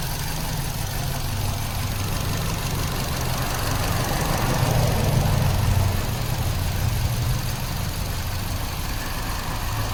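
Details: 2006 Kia Rio, 126,079 miles, random misfire: low idle with an uneven, lumpy pulse and occasional stumbles; engine misfire at idle.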